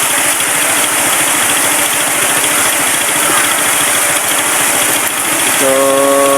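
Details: Suzuki Raider 115 single that wouldn't start, running during wiring troubleshooting; ticks over quickly and evenly, about three beats a second, no stumbling; healthy steady idle.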